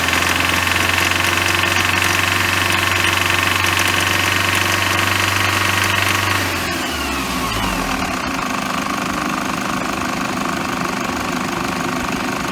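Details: Toyota HiAce Super GL van (ADF-KDH201V, diesel, October 2008, 137,735 km) idling: steady rattling whir from the fan belt area that stops at shutdown, coming from the fan belt idler pulley; worn idler pulley noise.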